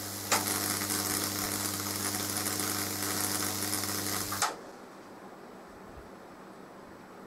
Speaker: getting that down from 7 amp to 4.3 amp and still getting a decent size sparkler there